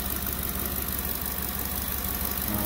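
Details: 2010 Ford F-150 King Ranch 5.4 V8 idling after the owner replaced a cracked, ticking exhaust manifold and tightened the Y-pipe: a steady, even idle with no ticking or puffing. The exhaust leak is fixed.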